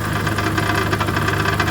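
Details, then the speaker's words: 2011 Chevy Aveo with a misfire and exhaust leak, at idle. A quick, tinny rattle from the exhaust side: the substrate inside the exhaust-manifold catalytic converter has broken loose. Catalytic converter substrate rattle. "so that rattling is the substrain inside the catalytic inverter on the exhaust manold it's obviously been compromised"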